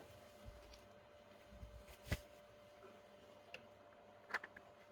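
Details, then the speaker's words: Sun Sun HBL hang-on aquarium filter pump: faint steady buzz with a few sharp clicks from air drawn into the impeller, linked to low water level or outlet flow valve opened too far. "This buzzing phenomenon. This buzzing phenomenon.) This noise is due to this amount of water , the amount of water it has pumped out."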